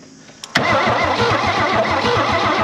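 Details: 1968 Chevy Biscayne barn find off the road 35+ years, points just cleaned, has power: starter spins the engine at a steady roughly seven beats a second but no cylinder catches; crank no start, cause suspected, not confirmed.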